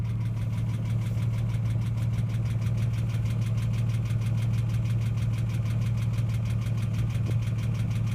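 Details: Ford AU XR6 engine: a low, steady idle with a faint even knock about three times a second; noise appears only after revving above 4000 rpm and slowly fades over about five minutes.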